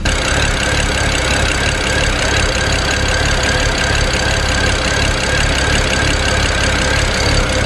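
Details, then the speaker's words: 2008 BMW 335i N54 twin-turbo inline-six heard at the rear: choppy, uneven idle with stumbles and rpm hunting. It is running rich with black soot on the ground from a failed bank 2 sensor 1 upstream oxygen sensor. "that just goes to show how rough is running and also how rich it is you can see the black suit on the ground"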